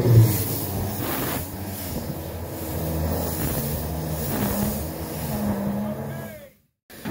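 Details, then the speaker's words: EMD SD38-2 locomotive diesel, very cold, cranked briefly with the cylinder test valves open after a radiator replacement, to blow out moisture after rain. Slow, labored low whirr, then stops. Engine did not start in the cold; to be pushed into a heated shop. "okay i'm gonna crank it just a little bit okay"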